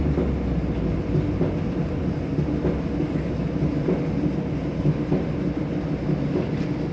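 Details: Kenmore 70 series dryer running: steady low rumble with a dull thump a little under once a second as the drum turns; owner suspects a bad drum or worn rollers.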